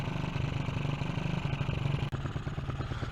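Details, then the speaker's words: Honda CG125 project bike at idle, about three beats a second, with an open pod filter. The carb is still being set up and bogs a little. A gurgly, breathy rush like air through water comes mostly from the pod filter intake. "i think a lot of what you can hear on the video is this filter if i can it really does sound like um i don't know somebody tries like air through water and that's a lot of it is just the noise from the filter"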